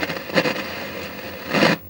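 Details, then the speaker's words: Commodore 1701 CRT monitor from the 80s, before capacitor replacement, audio very poor and low: harsh scratchy crackle bursting over faint hiss when switched on, crackling audio output. "so I turned on the Monitor and yeah it comes with a lot of sound scratchy sound when you turn it on"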